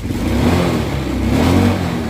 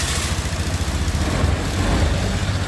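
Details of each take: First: Honda Scoopy i scooter before fuel pump replacement, throttle blipped repeatedly: revs rise sluggishly and sag back unevenly, struggling to pick up; a failed fuel pump starving the engine, later fixed with a new pump motor. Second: Honda Scoopy i scooter after replacing its failed fuel pump motor: a steady, even putter at idle with no stumbles or dropouts, so the engine idles normally after the repair.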